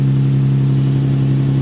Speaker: So, Spoiler alert, it's a VQ. oh, hey, can you connect the terminals for me, please? My VQ starts and runs great.